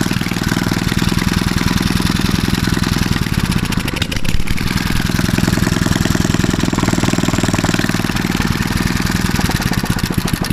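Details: Mitsubishi 6.0 HP small engine for a tractor, just fitted with a new BPR5ES spark plug; loud, fast, steady single-cylinder popping at an even pace without missed beats. Normal running.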